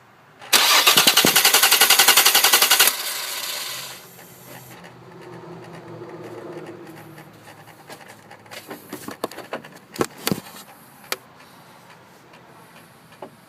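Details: Car starter spins the engine briskly for about two seconds, but it never catches or runs; cause unknown to owner; crank, no start.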